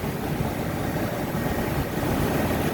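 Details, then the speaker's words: 2004 Ford F-350 XL Super Duty 4x4 utility bed truck, V10 gas engine with clean bay and fresh-looking oil: steady quiet low rumble at idle, no ticks, squeals or knocks; normal idle. "you can hear the engine uh idles quietly there's no squeaks or any any issues with engine noise or anything like that"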